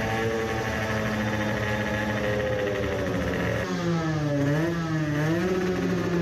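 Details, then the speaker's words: 50cc racing two-stroke moped build aiming for 20 hp on the dyno: high-pitched wail holds steady and sweeps cleanly with revs, no missing or stumbling, yet measured 10 hp versus 10.8 hp earlier with same parts and jet; normal full-throttle run. "it sounded it was working pretty well then.. allright."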